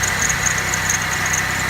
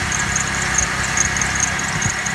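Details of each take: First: Neglected vehicle in terrible shape, running on a jump box with low brake fluid and no oil showing on the dipstick; steady, even idle with a quiet exhaust and a faint background squeak or chirp, running smooth. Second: Old neglected vehicle on a jump box, low brake fluid and no oil level showing: smooth steady idle with a faint high chirp repeating a few times a second, source of the squeak unclear; exhaust not loud.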